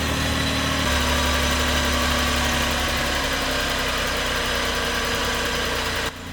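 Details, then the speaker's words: Flood-submerged Suzuki Cappuccino 3-cylinder turbo after tapping the stuck injector free: brief change in note, then settles into steady even idle with no stumble, all cylinders firing; normal idle. "chắc chắn có vấn đề với kim phun mà tôi đã gõ với hy vọng rằng nó sẽ giải phóng cái bị kẹt và nó đã hoạt động,"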